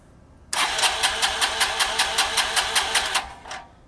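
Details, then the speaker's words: 1985 Honda Elite 150 scooter during carburetor fuel-leak diagnosis (later traced to fuel bowl gasket), vacuum fuel line drained: quick even chuffs as the single cranks briskly and catches, then cuts off; normal start. "let's crank it see if it I mean obviously it works because it runs I'll see what we get"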